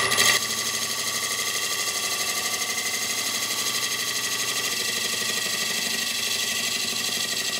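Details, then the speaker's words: Steady, even hiss of a spindle gouge truing the spigot area of a rough-turned hollow form; the earlier knocking from the slightly out-of-balance piece disappears once a clean cut is established, leaving a smooth continuous cut. "and you can really tell when I start getting a nice Cut in here that it does get shwed up and you won't hear that knocking on the wood anymore"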